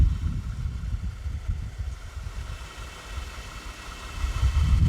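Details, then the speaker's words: 2010 Ford BF Falcon wagon idling after replacing the water pump. Early chugging and spluttering traced to a chassis earth. Temp gauge about normal. Low soft even rumble, no squeal, chirp or knock. Normal idle. "And this sounds like it's purring away very nicely."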